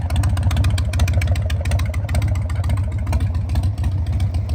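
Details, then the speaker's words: 2001 Harley-Davidson Sportster 1200 custom V-twin, after sitting about 3 years, running at a steady low idle with an even loping beat and no misses after clearing a completely clogged idle jet; normal running. "hi ended up getting it running I had an issue with the idle Jet the thing was completely clogged solid"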